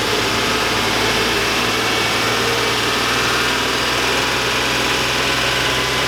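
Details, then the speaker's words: 2002 Chevy Avalanche 5.3L V8, about 217,000 miles: steady idle with dull regular tapping under the exhaust note, louder with rpm; owner suspects rod knock from low by the oil pan, lifters considered, worsening, unconfirmed. "yeah that's Rob knock who can hear it the hybrid rpms go the louder it gets"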